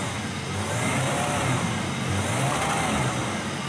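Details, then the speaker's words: GMC Typhoon turbo engine after $500 transformation and rewiring, first start, base timing not yet set: strong, even note revving up and settling back with no misses, knocks, rattles or smoke; idle slightly shaky but sounds healthy, like a Grand National. "I mean no smoke at all that sounds pretty normal kind of sounds like my Buick Grand National to be honest with you"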